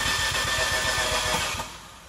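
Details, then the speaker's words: 2015 Fiat 500C Abarth MultiAir, sat a month in hot Texas July heat (90°F): starter cranks steadily about eight pulses a second without firing; oil drained from the MultiAir unit on top, losing its prime; re-priming attempt after adding oil. "I think what happened is I ran into the infamous issue where the oil drains out of the multi-air unit on top and it loses its prime"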